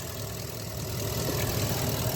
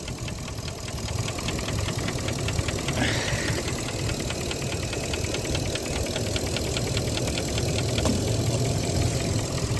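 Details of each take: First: 2017 Ford F250 6.2L gas V8 idling with both IMRC vacuum lines on the intake manifold unplugged: ticking stops, smooth even low rumble, which indicates a bad intake manifold (IMRC) needing replacement. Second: 2017 Ford F250 6.2L petrol V8 idling with a light, even tick about three times a second from the intake manifold runner control (IMRC); unplugging both blue IMRC connectors stops the tick, so the intake manifold needs replacing.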